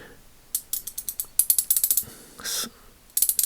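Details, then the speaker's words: Ace Hardware Professional 3/8-inch drive ratchet, teardown: uneven bursts of sharp clicks with a smeared sliding scrape as the pawl skips over flattened, worn gear teeth, damaged by heavy torque and debris. "it is clicking good and then clicking good right there is like fumbling right there fumbling right there you can hear it like kind of"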